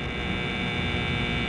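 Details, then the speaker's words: PTAC air conditioner with custom control panel, fan running on startup: loud steady electrical buzz with harsh hum under the fan, quieting slightly; buzzing relay that works but should be replaced. "but we do have a buzzing relay yeah it's quieting down you really are probably replaced because nobody wants to hear that it has a little bit of a buzz but it does work"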